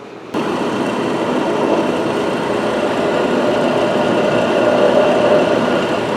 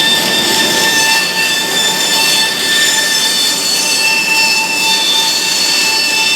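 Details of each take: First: Big bandsaw after reinstalling and tightening both set screws that had backed out: steady, even whir with no knocks, rattles or ticking; now running totally quiet. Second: Big bandsaw running: loud steady high-pitched whine and rattle; set screws on the shaft backed out so parts moved, with an aftermarket grease fitting also suspected.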